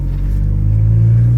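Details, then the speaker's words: Turbo Acura Integra with a built B18C bottom end and rebuilt head, on a light cruise after a clutch master fix: a steady, even low rumble with no knocks, whines or clunks, which is normal running. "But now it's I mean it sounds like a normal car. You'd never think it has a fully built motor in here."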